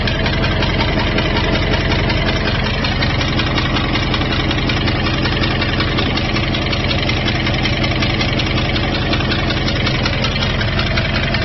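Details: 2002 Jeep Grand Cherokee WJ 4.7, professionally rebuilt engine with 4k miles, light, uneven tick about two to three per second over a steady idle. It started after a rest-stop restart; temperature and oil are normal. Loose exhaust manifold suspected, not confirmed.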